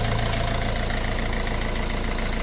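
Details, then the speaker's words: Fiat Scudo 1.6 HDi diesel idling after a top-end knock was fixed with 16 new hydraulic lifters, 16 new rockers and a new camshaft (rockers were worn); even, steady chatter, quiet, no ticking or knocking. "в общем вот такая вот была неисправность от что 16 hd ночь упрощает двигатель вообще в идеале сейчас работает тихонько"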